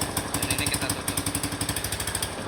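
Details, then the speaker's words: Suzuki Spin 125 scooter idling with the secondary air (2nd pair) valve closed: quick, fairly even, smoother pulses without hiss or stumble, showing the valve still works; normal idle. "Katok tertutup ya suaranya lebih halus. menandakan katuk ini masih berfungsi ya."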